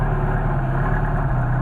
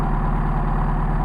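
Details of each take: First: Mercedes 190SL with rebuilt worn Solex 44PHH carburetors (no machining), fully cold start after priming and a little choke: steady even low idle, no misses; idle expected to rise as carbs heat; normal cold idle. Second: Mercedes 190SL with rebuilt Solex 44PHH carbs, worn throats and badly bushed throttle shafts, at water temperature: steady fast idle about 1250-1300 RPM, otherwise smooth; excess air from wear; high idle from worn carburetors.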